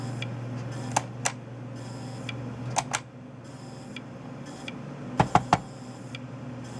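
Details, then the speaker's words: Bondwell B310 286 laptop: sharp ticks in irregular pairs and triples over a quiet hum as the hard drive tries to spin up and fails at power-up; owner suspects insufficient power, which later seemed to be a power supply problem. "yeah it's trying hopefully this isn't like the worst thing I could do right now is try to get spin up Oh up and back down I still think it's not getting enough power"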